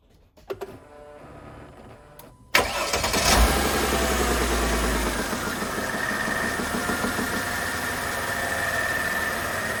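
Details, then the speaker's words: 2004 Mercedes CLK 320 W209 V6 started after an oil and filter change (8 L Castrol 5W30). Starter cranks, then a smooth, even idle with a steady low hum and no knocks: a healthy V6. "Okay, everything is running nicely, everything sounds good, nice as a V6 sounds, and that's pretty much it."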